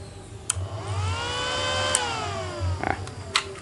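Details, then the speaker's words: Emerson R48-2000 switching rectifier that starts then goes back to standby, plugged in; fan whirs up and sags while three sharp electrical snaps crack out as the lamp blinks: electrical zapping on power-up. "Jadi, saat dinyalakan, terdengar suara sengatan listrik."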